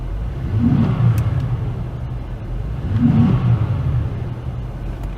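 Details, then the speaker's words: Cadillac CTS after an intake box modification, with the charcoal pad and honeycomb plastic removed and the box opened up. Two quick free-rev blips rise and fall cleanly with a deep, louder intake roar and little metallic sound. Normal. "rev's pretty nice. I don't know, I didn't really hear that metallic sound too much in the rev"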